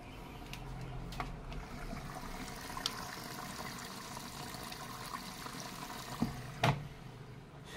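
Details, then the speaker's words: Samsung front-load washing machine after replacing a leaking hose: steady hiss of water filling the drum with no dripping or splashing underneath; filling normally, leak fixed. "papapasok naung tubig naiipon na sa loob kasi kapag hindi naipon Yung tubig hindi siya magwawagas"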